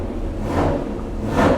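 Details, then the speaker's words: Original 1968 426 Hemi V8 with factory solid-lifter camshaft, cold on the dyno before warm-up, choke tied open, oil pressure good: lumpy but steady low idle with light even valvetrain patter; normal solid-lifter idle. "you guys can listen to the idle, that's the idle of Elephant, the Holy Grail of Chrysler. Listen to that idle. That's a factory camshaft in there. Solid lifter, 1968."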